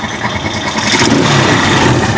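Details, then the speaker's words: Rusi Chariot 175 trike, about three years old, once submerged in water: steady, even engine note climbing smoothly as it revs, no knocks or rattles; engine quiet and healthy, only due a tune-up. "So ganyan po katining yung tunog ng trike natin, kumbahin ko. Tahimik siya ngayon mga travelers. Tahimik na siya."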